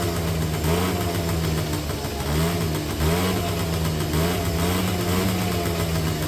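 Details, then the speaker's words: 2009 Yamaha Zuma 50 two-stroke fresh from storage, running on a borrowed battery. Fast, slightly wandering idle with small surges and heavy smoke; the owner suspects the engine was fogged before storage, and the oil pump is working. "So, I don't know if somebody maybe fogged them motor before they put it into storage. And that's why there's so much uh smoke."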